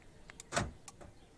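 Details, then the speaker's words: Renault Laguna central locking with aftermarket universal remote kit: one quick soft thunk as locks engage together on close button, clean single action; normal central locking operation. "noise and you realize it is already closed"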